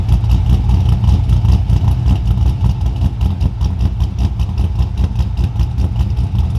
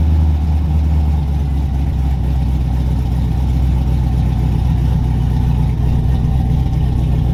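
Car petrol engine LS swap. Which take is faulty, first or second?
second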